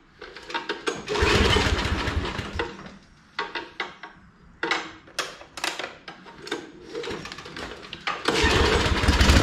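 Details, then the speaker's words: Briggs & Stratton Snow Series engine on a John Deere snow blower, restarted with all covers back on after a HIPA carburetor swap, fuel just turned back on and filling the bowl: a few uneven bursts, then catches and runs steadily while throwing snow; normal running. A broken auger shear pin is unrelated. "it's sounding good and it's throwing snow pretty decent"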